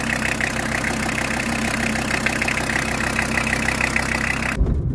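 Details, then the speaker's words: VW T4, used-vehicle check, at idle: steady even diesel idle with smooth regular beat, no knocks or rattles; engine sounds healthy. "motor ist klasse wie man hört"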